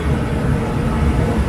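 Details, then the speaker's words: Dometic RV furnace bench-tested after removal and reinstallation, with the gas line leak-tested: the burner lights and gives a steady, deep roar with an even blower rush and no pops or surging, and the vent air warms. Normal burner operation. "so now we're going to fire it up and see if it works you can hear the burner now"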